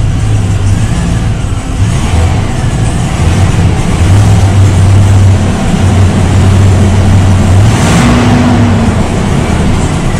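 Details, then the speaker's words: Old white truck started after an oil and filter change: loud, uneven low rumble with a stumbling beat under revving, truck shaking but good oil pressure. Still misfiring; spark plugs to be pulled and cleaned next. Engine misfire. "well it's still missing i can hit a truck shaking a little bit it does got really good oil pressure"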